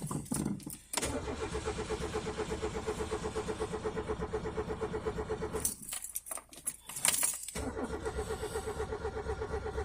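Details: 1987 Peugeot 205 1.4 GR with the X (Douvrin) engine, off the road three months: long bursts of steady starter cranking at about two pulses a second, with pauses and no catch. The choke sticks and won't reach full choke, so it starts hard after about a minute.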